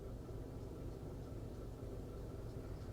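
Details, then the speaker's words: 2005 Honda Element that stalls when cold, at about 170°F coolant and about 700 rpm idle, fuel trim around 26–27%: low, uneven idle with irregular stumble and shaking, scanner showing a bad cylinder 4 misfire. "what it's warning that number four misfire is it's kind of a pretty bad right now"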